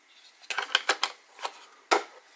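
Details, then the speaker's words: Jumper T16 OpenTX radio transmitter with two Samsung 18650 lithium-ion cells in the battery tray: six or seven dry clacks as the unit is shaken; cells loose and rattling in the battery bay, foam suggested to hold them. "And it is a little bit loose in there, so you can kind of hear it rattling around, so I might have to put some foam in there just to hold it in place."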